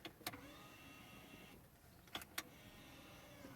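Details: BMW electric parking brake after warning light and failure, working again without replacing the actuator: brief electric motor whir with sharp clicks at start and end, pause, then cycles again; actuator operating normally.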